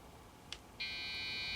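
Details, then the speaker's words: Dell OptiPlex GX520 desktop powered on after reseating the RAM: silent start, then a steady high-pitched beep that holds, a POST error; cause not yet known. "three and four i don't know what that means"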